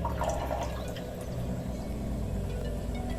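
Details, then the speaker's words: Kent Ace RO water purifier, filter changed in 2020, that had stopped purifying and kept beeping: after the timer alarm reset, a steady trickle and drip of water fills the tank with no beeping; water is delivered normally again. "और आज मैंने सुबह आपने soil में add कर दिया है और इसको देखो पानी आना शुरू हो गया है"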